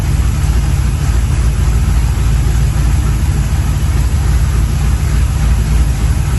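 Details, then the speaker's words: 1983 Chevy C10 motorhome 350 V8 with used performance parts, new Holley 750 4150 carburettor: deep, steady, even idle with smooth rumble, no misses or hunting; snappy and healthy. "this engine is Snappy like it's oh it it sounds good feels good"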